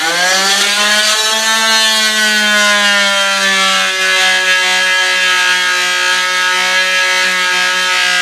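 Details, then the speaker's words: Slotting hinge recesses in RagWing Heath tail feathers with a blade just under 1/16 inch: a harsh high motor whine sags in pitch as the cutter bites and grabs in the wood, pulling the machine along, so it gets pulled out. "When you hear it do that, what happens is it bites and the whole machine starts going, and I just pull it out because it'll just start making a mess."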